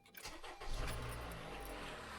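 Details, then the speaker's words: Honda Odyssey petrol engine at first start after an oil change with zero oil pressure yet: brief metallic cranking rattle from the VVT actuator, known weak spring, normally lasting about half a second. "You hear that rattle there? These what are they? Variable valve timing on these Hondas. They're known to have a weak spring in the actuator."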